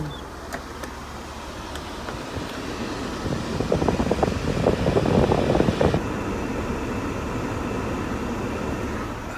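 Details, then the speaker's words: 1992 Mercedes-Benz W124 with random overheating, after a new radiator, fan clutch, 87°C thermostat and reservoir cap. At idle with the AC on high and coolant near 90°C, a rising rush of fan air comes in and holds steady as the cooling fans cycle on normally. "keeping the temps below 90. they're off so they i guess they just cycle on and off i think when it hits about a 105 they go on and stay running until attempt comes down"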